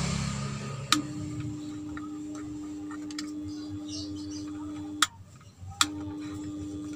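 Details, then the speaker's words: Powered PC speaker owner reports very quiet sound; plugged into mains it only gives a steady mid-pitched hum that stops and returns with switch clicks. The combined on-off/volume knob changes nothing else and touching brings no noise response. "berdengung seperti ini ketika disentuh biasanya suara noise terdengar tetapi disini tidak ada reaksi"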